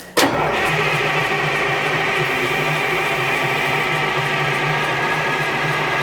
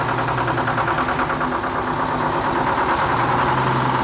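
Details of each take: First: Detroit diesel dragline engine idle 13 years, about twelve seconds of steady cranking that never catches; air intake shutdown flapper found closed, starving it of air: cranks but no start. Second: Detroit two-stroke diesel dragline in a Florida sandpit, unmoved for 13 years, started with a little ether: steady, even drone at constant idle with no knocks or misses; normal running.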